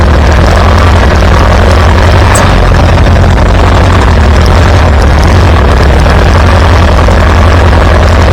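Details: Farmall B tractor running after a weak ignition coil was replaced, restoring strong spark; loud, steady low-pitched beat, even and regular, no misses or pops. Good oil pressure. Normal running.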